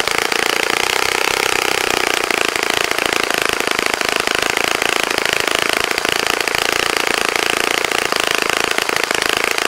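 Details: Saito FA-65 model engine, first run after rebuild, APC 12x6 prop, Morgan's Omega 10% fuel, Fox Miracle plug, heavily primed: high steady full-throttle buzzing scream, even pitch, no sag or misfire; runs nicely.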